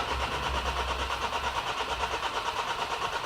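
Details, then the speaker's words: 2011 Nissan X-Trail common-rail diesel (dCi) with a hard-start complaint: a steady starter churn at about three beats a second that never catches. Voltage drops while cranking, no current is seen at the injector, and the car reportedly won't start unless the clutch is depressed. Cause suspected, not confirmed. "I think that we just lower voltage because because we are cranking so the string voltages goes down yes oh okay one more crash just being told this thing won't start unless you you depress the clutch when you're cranking"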